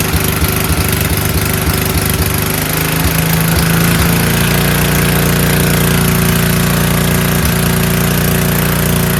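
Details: Free 5000 W PowerBack generator with a Tecumseh engine, fitted with new fuel filter, lines and an undersized 5 hp replacement carburetor, started on middle choke without spray: catches after a few uneven pulls, then settles into a steady governed drone with no surging. Normal running.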